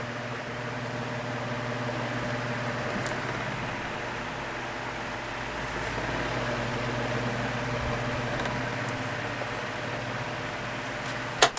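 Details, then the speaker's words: 12-inch oscillating desk fan (Midea-made) after lubricating dry bearings and replacing worn thrust washers: soft steady hum and airflow, no rattle or knocking as head oscillates, quiet at all angles; running properly. "i don't hear that rattling that we was hearing before sounds quiet"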